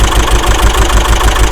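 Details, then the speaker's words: Subaru Outback EJ engine after the timing belt broke (collapsed DNJ tensioner), run on a used belt and donor WRX tensioner: lumpy uneven chug with irregular beats and stumbles; intake valves hit, both heads likely damaged. "As you can see, we've got a bad engine. Definitely had some intake valves hit, and"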